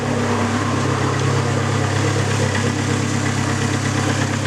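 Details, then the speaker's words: Neon SRT4 after a new clutch install, warming up fully before fresh fuel, vacuum running slightly high: even, steady low idle with no knocks, ticks or misses; engine running normally. "sounds good to me cool"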